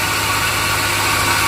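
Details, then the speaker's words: 2002 Chevrolet Silverado Vortec V8 gas engine idling hot, steady harsh grinding hiss over a low even hum; grinding appears when engine is hot, cause unknown. "this is the sound of my engine as you hear there was a grinding noise when it's very hard the engine has a grinding noise i don't know why but it happened"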